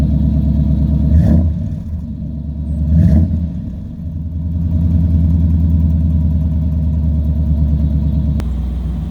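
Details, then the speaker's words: 1997 Chevy 454 big block 3500 4x4 truck, cold start at about 21°F with no throttle: fuel pump primes, a few seconds of cranking, then a smooth, steady idle with no misses; healthy cold start. "okay there you go she's running a truck starts right up no matter what the temperature is"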